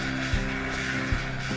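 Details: Old Huffy Cranbrook single-speed coaster brake rear hub coasting: steady drone with scraping ratchet and heavy clunks; lubricant spray didn't help; worn clutch cone and weak spring found on overhaul.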